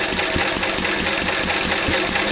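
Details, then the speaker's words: Carbureted engine runs steadily with a slightly thin, hollow note and faint periodic pops. Mixture is still very slightly weak even at full lift and needs a little more richness. "it's still very, very slightly weak, as you can hear, very slight, and it's on full lift on the thing, so it wants to go a little tiny bit more."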